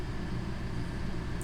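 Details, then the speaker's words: Rooftop AC in a 41 ft Grand Design Momentum 5th wheel powered by an EcoFlow Delta Pro and solar, set on low, drawing about 1.3 kW: steady low hum and fan rush, no rattles or squeals; runs normally. "just for shits I'm going to throw on the AC I'll put it on low so you can hear the AC is running"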